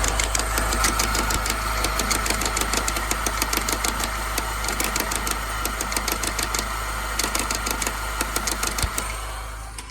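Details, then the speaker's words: Salvage Mini JCW N14 engine, first start after rebuild: sharp metallic knocks about three per second at idle, keeping pace with engine speed, seemingly from the belt area; knock stopped once belt removed, owner had feared piston or bearings. "seems to be coming from there. So, I'm going to wipe that belt off. And see if that's what's happening."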